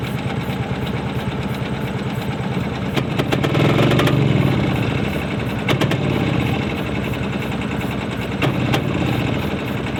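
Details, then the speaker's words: 40+ year old tricycle, jump-started with fuel lines disconnected: ragged, uneven firing that surges and fades over a few seconds, running only on quick-start spray with no fuel supply, stopped quickly to avoid engine damage. "Without fuel. Stop it, stop it, stop it, stop it, stop it. Woo! You don't want to damage the engine with quick start."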